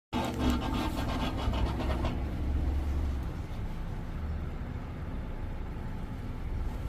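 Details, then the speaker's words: 2024 Mazda CX-90 PHEV Premium, about 5,000–5,900 miles, switched off and parked: loud deep buzzing drone with rough grinding pulses for two seconds, then a fading hum; owner says it occurs after driving in EV mode and began after a dealer service; cause unknown. "That doesn't sound good. Yeah. I've never heard it from any kind of a car."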